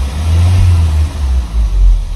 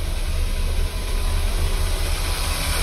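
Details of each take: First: Audi A6 3.2, 171,000 km, running on cleaning fluid instead of petrol during repeated flush cycles: quick sharp blips with revs rising and falling cleanly; idle still wavers occasionally but throttle response is now crisp. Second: Audi, 171,000 km, warmed up, winter: uneven lumpy idle with irregular low shudder; scanner reports misfires on cylinders 4 and 2, cylinder 3 spark checked good.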